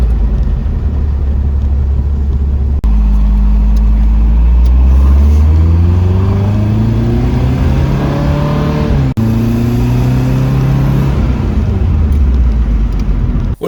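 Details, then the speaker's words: Porsche 914 2056 cc engine with dual-throttle-body MegaSquirt EFI, performance camshaft, enlarged valves, Tangerine Racing exhaust and 123Ignition, pulling cleanly through repeated rising revs with a deep, even, throaty note and no misses or knocks; sounds healthy and pulls strong. "yeah sounds good"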